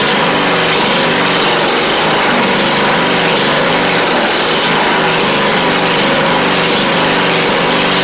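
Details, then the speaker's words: 2001 Craftsman LT rider with Poulan Pro deck, Briggs V-twin, after carburetor cleaning for fuel leak and slow running; steady brisk speed, smooth unbroken drone, no surging; governor holding speed properly. "It should run better now, a little bit faster, because it seemed like it was running a little on the slow side."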